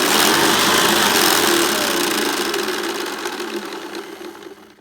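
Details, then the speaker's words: Hoover Commercial C1310 vacuum, newly unboxed, with the belt fitted the right way; fast, fairly regular brushroll rattle, about two per second, over a high motor whir that fades on spin-down; owner suspects loose bearings, later replaces end caps, washers and bearings. "think it could possibly be the bearings cuz this is just a bit too ratalie inside it does seem to have some movement in it and a clicky clicky sound"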